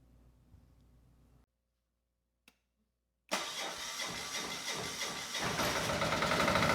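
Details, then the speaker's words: Generac XD5000e generator, Yanmar L100 diesel, restarted after bleeding air from fuel system, before oil change, warming up: brief crank, catches and settles into steady even clatter that firms as it warms; normal start and idle. "And before we go any further and change the oil, I do want to get the engine started again. and just make sure that the air we introduced isn't going to cause a problem."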